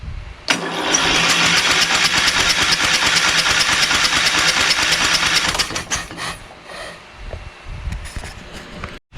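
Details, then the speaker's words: Craftsman LT2000 / 20HP Kohler Courage repower cranking: brisk, even cranking with no firing. There was no spark until the magneto wire was disconnected, because the safety switch grounds the magneto and needs a bypass. "i just checked for spark and there was no spark disconnected the wire from the magneto see if they're sparked now plenty of spark so the safety switch is on which means we have to do a bypass later"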